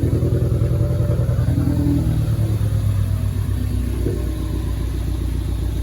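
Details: Mk3 Ford Focus ST idling unevenly with a lumpy, stumbling beat after it suddenly started sputtering and cylinder 4 went dead. Blown motor that needs a new engine or rebuilt internals. Dead cylinder misfire.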